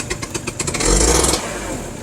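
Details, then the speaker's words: Two-stroke scooter whose idle surges between about 1,000 and 2,000 rpm. When revved, choppy uneven popping at the low end before it clears to a smoother buzz. It sputters at low rpm and hangs high briefly after revving. "I don't know if you can hear that, but kind of sputters right there at the low end."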